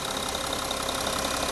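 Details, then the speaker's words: 2013 Audi Q7 3.0L diesel after oil cooler, seals and plastic housing replaced to cure coolant and oil loss, engine cover off: steady even idle with usual light diesel clatter; runs great, cover quiets it. "A little rattly, but that's the diesel engine, but we're going to put the sound insulating engine cover back on, and it quiets it down and you don't hear it from inside the car."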